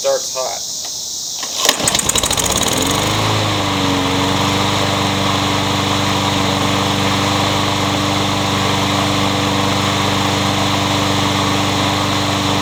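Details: Troy-Bilt 21-inch self-propelled bagging mower, blade previously hit a railroad tie; after flywheel key replacement and recoil reassembly, pull-start catches and settles into a steady, even single-cylinder drone with no misses or knocks: good runner.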